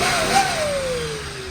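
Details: Datsun 280ZX after fixing low fuel from a misreading fuel sender (sender and pump soldered): short clean rev sweeping down smoothly, no stumble or misfire; engine pulls normally.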